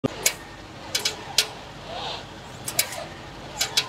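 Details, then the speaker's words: BMW front wheel when the steering is turned back and forth: loud, harsh metal-on-metal clunks, often in pairs, caused by a rusty wheel bearing seat in its housing; fixed by sanding the contact surfaces and greasing them. "整个轮胎的附近，或者这个悬架这个附近，有一个咔嘣咔嘣铁和铁碰撞的这种声音，特别响，特别刺耳。"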